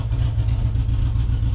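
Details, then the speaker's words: V8 at a deep, even idle with a steady low rumble and no ticking or knocking; the engine sounds healthy. "looks like everything's running good Friday through our club other than that I think this thing's doing great"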